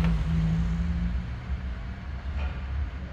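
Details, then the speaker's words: Chevrolet Captiva folding side mirror after repair with replaced, oiled gear system: short steady low motor hum for about a second, stopping cleanly; may need operating a few times to bed in; normal mirror fold operation. "Yes, now, let's fold our mirror, let's open it again. Since we have oiled the gears of our mirror, friends, we may need to operate it a few times."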